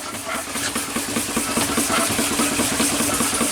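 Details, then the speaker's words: Steam engine and steam pump running together holding steady 40 psi, exhaust steam through unpressurized feedwater tank, governor not yet working; even beat about 2.5 per second with light scuffing hiss; drive belt rubbing, otherwise quiet. "You hear that belt rubbing, but besides that, everything's good and quiet."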